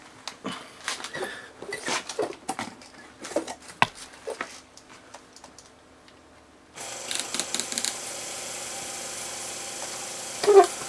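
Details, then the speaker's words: Low-pressure diaphragm misting pump in a 12x12x4 inch enclosure, restarting: light scattered clicks as the nozzle-assembly solenoid valve turns on, then a steady hiss as the pump comes up to pressure; normal solenoid click on start. "so you heard that little clicking going on and that was the actual solenoid coming in turning on"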